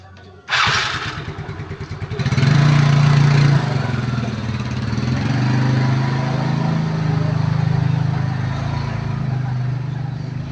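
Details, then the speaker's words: Yamaha Mio Smile scooter on test ride after carburetor air screw set to 3 turns, previously unable to accelerate past about 40 km/h: steady, even drone pulling smoothly without stumbling or sticking mid-throttle; normal acceleration. "ini masih normal ya tidak latihan dan sudah dapat jalan dengan bagus bisa langsung tarik gas tidak ada stuck ya di tengah-tengah"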